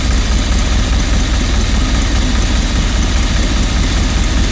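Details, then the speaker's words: 1986 Rolls-Royce Silver Spirit II V8, parked since 2022, idling just after work on all 8 cylinders was done: deep, fairly steady idle, much smoother, only a faint occasional stumble, slight misfire remains; not bogging at idle but bogs when floored, fuel suspected next. "A lot better. Still misfiring ever so slightly. Not bogging."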